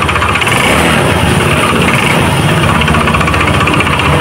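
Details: Honda Beat carburetor scooter: steady high-revving buzz with throttle but rear wheel not turning, no drive engagement; CVT V-belt suspected snapped, drive belt to be replaced.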